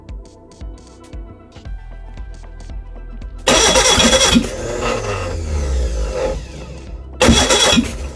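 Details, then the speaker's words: Reliant Regal Supervan 3 engine on the workbench, catching in loud cranking bursts with sharp backfire pops through the carburettor, never settling; two plug leads were crossed, firing out of order. "tonight you're really trying to go that's all right getting a bit of backfire at this carb"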